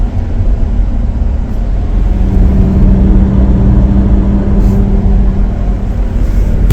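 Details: 2014 Chrysler Town & Country driving above 25 mph: a steady, one-pitch hum that tracks speed only, not RPM or turning; front wheel bearings replaced 3–4 months earlier started humming again.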